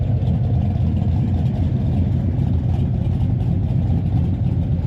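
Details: V8 truck after engine rebuild with new lifters and cam, stock converter: deep lumpy idle with a steady cam chop, no ticking or knocking; much quieter under the hood, normal idle.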